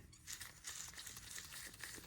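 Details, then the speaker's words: Original output shaft roller bearing from a 48RE transmission out of a 2005 Dodge 3500 with the 5.9 Cummins diesel, spun by hand: a dry, gritty, unevenly crackling rasp instead of a smooth spin; worn bearing, being replaced. "okay, even when you soak it in fluid, replace it. In fact, it's good practice just to replace these as a matter of course, and that's what we're doing here."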